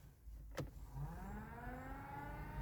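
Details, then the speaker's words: Heater blower fan on Project Ruby after fitting a £10 replacement heater: a soft whir climbing smoothly in pitch, no rattle or scrape. Speed 1 is a very gentle breath, speed 2 much better than the old fan. Normal. "oh boy yes that's good I mean number one is like somebody blowing through their mouth very gently two oh that's a lot better yes 10 pound heater has done the trick perfect"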